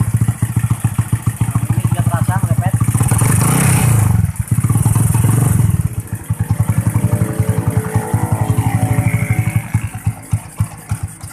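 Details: New Tech motorcycle with DC ignition that stumbled and would not rev, after connecting a battery: steady single-cylinder idle, then clean quick blips climbing and falling smoothly with no misfire; ignition now running properly.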